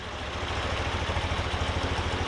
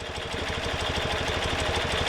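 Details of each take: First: Twin carburetors synchronized with the Harmonizer gauge after idle speed adjusters were raised from 700 rpm: even, regular low pulsing with both cylinders firing alike and no stumble; carburetors balanced and idle healthy. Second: Bing carburetors, idle speed adjuster on the left turned in to about 700 rpm: fast, lumpy idle with uneven pulsing beats, harmonizer needle swings to the right carb; carburetor imbalance.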